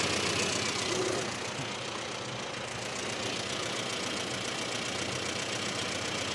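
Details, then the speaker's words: Classic Mini with ported-vacuum distributor idling before timing correction: small four-cylinder idling fast and buzzy with light uneven tapping over hiss; ignition timing far too advanced, to be reset to about 8°. "Nice. So, I'll go through and reset that cuz that is far too much. This poor little thing would have been screaming it."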